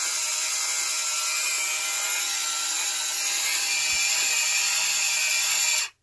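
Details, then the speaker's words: Grimes twin oscillating electromechanical aircraft anti-collision lamp switched on: steady thin high-pitched gear whir and ratcheting chatter, fairly noisy, then cutting off abruptly; normal gear mechanism operation. "we had to use cogs and gears and all that good stuff and it results in actually quite a nice piece of equipment of turning on though and as you can hear it's fairly noisy but doesn't that look good"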